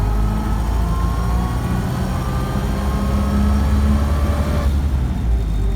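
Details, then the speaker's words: 1928 Ford Model A, about 2,000 recent miles, driving in first and second: steady whine under the car climbing with road speed from the straight-cut gears, driven with double clutching; normal straight-cut gear whine. "really hear the straight cut gears in first and second"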